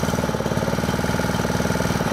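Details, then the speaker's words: Honda WX15 water pump engine, unrun for 3.5 years, started on first pull with choke then choke off, throttle low; steady quick, even putter with no misses or knocks; healthy idle. "I still can't believe that started on the very first pull."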